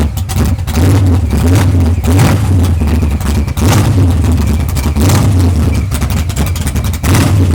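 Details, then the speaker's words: Newly built 632 engine with F2 ProCharger: loud, uneven big-engine idle with throttle blips, rhythm stumbling and wavering; owner says the carburetor needs fine tuning, cause not confirmed. "Alright, y'all. I'm gonna have to do some tuning, man. I'm gonna have to do some tuning."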